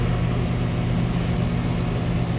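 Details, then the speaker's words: Condenser of a 2-stage central AC at a rental property, back on right away in stage 1 (low stage), reading about 15 amps on one AC line; steady low hum, even fan rush, no rattles or squeals; normal running. "So it came back on right away. It is reading 15 amps total. I just got it on one of the AC lines."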